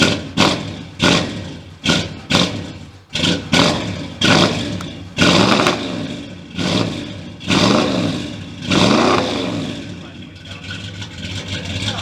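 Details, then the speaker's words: V8 swapped into a Dakota pickup, newly fitted exhaust, first fire-up: sharp throttle blips with a deep, even V8 burble between them, no knocks or misses; engine runs healthy. "[Music] oh that sounds real good [Music] go on all right so we got a v8 in a dakota that didn't come with a v8"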